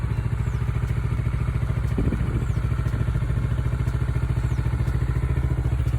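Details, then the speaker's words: Kawasaki Ninja 400R 400cc (registered 2013, 7 years old), first start after sitting unused about 3 months with lapsed inspection; owner feared a flat battery but it started; steady, even low-pitched twin idle, regular pulse, no misses or knocks: normal idle. "初めから3月初めまで3ヶ月全くエンジンかけてなかったのにちゃんとかかりました。バッテリー上がってると思いました。よかったです。"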